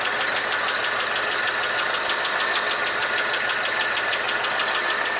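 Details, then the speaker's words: 1959 Chevy truck after replacing exhaust manifold gaskets to fix a manifold leak: steady idle with a light, even sewing-machine tick about three times a second, described as normal, with no puffing or chuffing; the manifold sounds sealed. "oh looks pretty good sounds uh that's heavy you don't know that saffit sound just that's just normal it always sounds like something like sewing machine"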